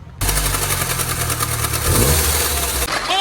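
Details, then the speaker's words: 2nd-generation Mini Cooper idling with a busy, rapid rattle that doesn't change with speed. Caused by a damaged drive belt; fixed by replacing the belt with the tensioner locked. "Today, we are going to diagnose a terrible sound on a Mini Cooper. Let's listen to the horrible sound."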